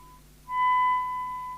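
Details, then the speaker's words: Commtron CB40F early-version UK FM CB radio during service alignment: a clean, steady tone near 1 kHz with faint overtones and no buzz or crackle; healthy audio output, better than the customer's other set. "sounds alright so this is slightly better than the other set"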